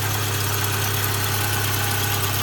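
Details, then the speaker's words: 2009 Subaru Forester, fuel injected: even, steady idle with a constant low hum and no knocks, misses or surging, despite suspected exhaust leaks underneath; healthy normal idle. "fuel injected, no throttle body. Idle right down nicely."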